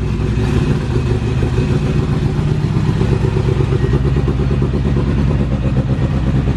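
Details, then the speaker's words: Sleeved Acura GSR B18 on AEM EMS, cold, just running after a fuel-filter cleaning and leak fix, fuel pressure good: idle with loose low clatter while the clutch is released, gone with the pedal pressed; clutch disc rattle. "Push the clutch in. Let it off. Hear that noise go away? The discs aren't flopping around anymore."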